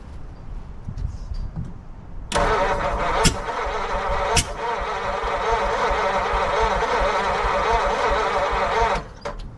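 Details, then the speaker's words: 1940 Mercury Eight, stored since the 1970s, first start attempt with distributor being adjusted: uneven cranking broken by two or three sharp pops back through the intake; owner suspects a stuck intake valve not sealing on a dead cylinder. "It's backfiring through the intake like that. It's most likely the valves aren't sealing."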